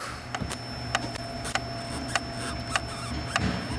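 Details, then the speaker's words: Citroën C4 Picasso with a noise from the rear, mic held close at the rear: sharp light ticks about one every 0.6 seconds over a quiet car hum. Rattle from the rear. "Ó mas o barulho vem da parte traseira aqui ó vamos desmontar agora a parte lateral ver o que que é"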